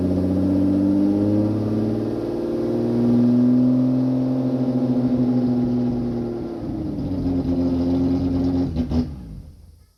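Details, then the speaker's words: Toyota MR2 with swapped 3VZ V6, no exhaust fitted yet: engine runs unevenly with a sagging, wavering note, then dies within seconds; it isn't getting fuel, so it starts, runs briefly, cuts out and won't restart. "it's not getting any fuel to let us do that so um so it will start sometimes and then it runs for a little bit and then cuts out and then won't start again"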